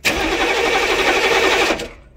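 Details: 1995 military HMMWV diesel, glow plugs replaced after controller fried them: about two seconds of cranking churn, never catches; crank-no-start, injector found full of metal and rust debris, fuel contamination suspected.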